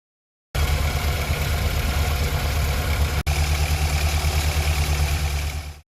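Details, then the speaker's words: Morris Minor 1000 Traveller restarted after sitting half an hour following a drive: uneven, lumpy stumbling idle, oil weeping from the head; owner suspected head gasket, confirmed blown head gasket. "left it for half an hour come back started up and um you can hear it's just not sounding happy at all is she not at all um so having a quick look under the Bonnet um looks like there's a little bit of oil weeping from the head so maybe it's a gasket"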